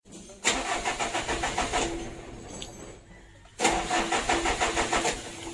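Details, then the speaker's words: Mitsubishi Canter diesel, hard to start: two long cranking bursts with even churning rhythm but no catch; starts only with a little throttle; fuel load, governor and idle adjustment. "begitu Lor startnya panjang begitu ya itu harus diuji disenggol sedikit gasnya itu baru hidup"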